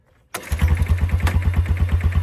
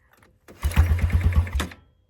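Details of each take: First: Old four-wheeler (ATV) that sat for years, first start after checking the oil. It catches after a short crank and settles to a steady, even low thump of about three firings a second. Normal idle, fuel filter clean, a little smoke. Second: Old ATV (four-wheeler) that sat for years, being pull-started: about a second of cranking, roughly eight quick compression thumps, one or two almost firing, then stops; oil present; cranks but won't start yet.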